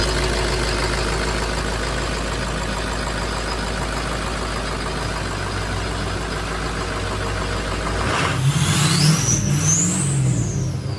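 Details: Abandoned Ford F550 diesel running after a lift pump replacement: steady drone, then on a rev a high turbo whistle sweeps up and falls back; clean, loud turbo spool on a healthy engine.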